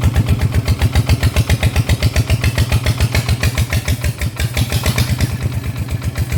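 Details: Kubota diesel brought in for vibration, after the cam was removed, valve clearance adjusted (valves found too tight) and everything reassembled: even, steady chug around 220 beats a minute; noticeably less shaking than before, runs smooth.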